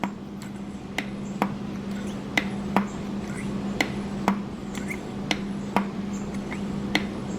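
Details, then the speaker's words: 1968 MGC SU HS6 carburettor during piston drop test with the jet lowered: a dozen crisp, even thuds as the piston drops freely; with the jet raised it binds, meaning the jet is not centred. "you can hear the thud thud thud thud but then when I raise the Jet and do it it doesn't thud because it's getting caught up in there"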